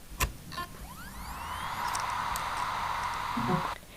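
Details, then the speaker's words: Reference healthy hard drive: the whine rises smoothly, then holds a steady even hum with no clicking or scraping. This is a normal spin-up, unlike the faulty drive that struggled to spin up. "This is what a hard drive should sound like."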